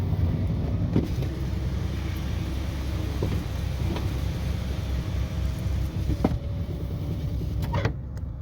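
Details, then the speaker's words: 1979 Lincoln Continental power window with the vent window lowering: low steady motor drone with a few light clicks and no straining or grinding, running smoothly. "what I do really like is when the vent window gets down um it's nice and smooth I never used to could roll this window down this way"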